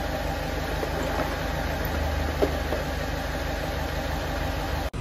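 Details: Ford Fiesta 1.4 TDCi diesel after engine rebuild for oil burning and heavy smoke: steady, low idle with even rhythm, no knocks, rattles or hunting; engine running healthy.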